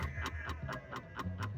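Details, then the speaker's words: Black Belt pinball machine: a coil phantom-fires in rapid bursts of sharp ticks, about four per second, over a low hum, set off by various switches. Some feedback is suspected, possibly tied to a flasher or a missing diode, unconfirmed. "so this thing is like tick tick tick tick so that's that's getting some Phantom firings and it's doing a lot of switches are causing that to go to Phantom fire"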